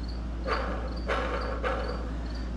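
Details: 1968 StarCraft boat, MerCruiser gimbal housing overhaul, bearing turned by hand: steady low rumble with a rough gritty swell about twice a second; worn gimbal bearing.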